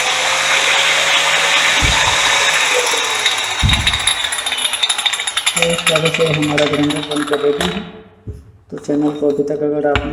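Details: Old Bosch GWS 6-100 4-inch angle grinder after housing bearing and switch repair: steady high-pitched whine holds even for several seconds, then spins down cleanly, smooth with no rattle. Normal running.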